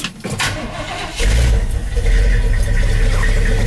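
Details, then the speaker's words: Carbureted Chevy plow truck 350 V8, stock manifolds, no headers, cold start after sitting since noon the previous day: brief crank, catches at about one second and settles into a strong, steady idle. "love that sound now this truck hasn't ran since noon yesterday"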